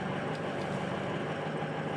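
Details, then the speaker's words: 2005 Ford F250 6.0L Powerstroke idling right after the high-pressure oil pump fitting repair fixed a crank-no-start: a steady, even diesel idle with a low rumble. Runs really good, super smooth, no misfires; normal idle. "I kill everybody else in the shop and it actually runs really good super smooth no misfires kind of Lucky"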